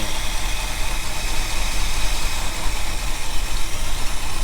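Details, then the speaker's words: 1975 Ford F350 that sat about 20 years, freshly restarted: deep, lumpy rumble with uneven surges at idle that never settles, with old deposits burning off in the exhaust. Very rough idle. "it's got like a no idle a lot of crap burning off in the back"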